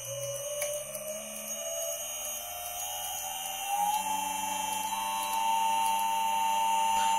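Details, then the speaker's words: Three-phase CNC spindle motor on single phase via VFD: clean electric whine climbing smoothly in pitch, no roughness; about 20 Hz output at 1000 RPM, one third of max; normal. "that's good it runs okay and a thousand RPM or sorry a thousand RPM we are outputting about 20 Hertz which is perfect because we're at one third of our Max"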